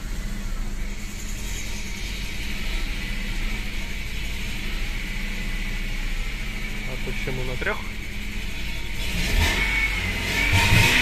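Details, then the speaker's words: BMW M43TU petrol four-cylinder, knock at revs and on cold start, fine at idle: dull regular knock under the engine note persists after replacing rockers and hydraulic lifters; quieter and softer now, but connecting rod bearing knock concluded. "Не, пацаны, это шатун. Типа, блядь, стало тише. Работать стал мягче. Но это ебаный шатун."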